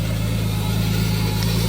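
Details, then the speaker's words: Nissan Skyline R33 RB25DET six just rebuilt, idling after its first start, thermostat housing not yet fitted properly and no coolant. Steady, even low idle with a smooth deep rumble and no knocks or ticks; normal idle. "Yes! Sounds like a bag of shit, look!"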